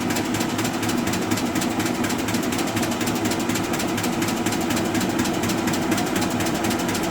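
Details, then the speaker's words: Arter A3-12 12-inch rotary surface grinder, 220 V three-phase with a flat belt spindle drive: steady, even running with a fine regular clicking from the belt seam and no knocks or grinding; the machine runs well. "really all the noise you hear is that the seam and the belt going around looking but it's a good running machine"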